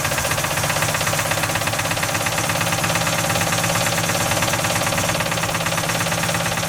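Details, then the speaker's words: 1955 Ford F250, engine previously locked after 30 years sitting, weak spark, old fuel still in the tank, carburetor being sorted: uneven, lumpy running with irregular pulses over mechanical clatter; runs rough. "It just ran. If I could get more gas in it, it'd run longer. It's just I'm still trying to get that old stuff out."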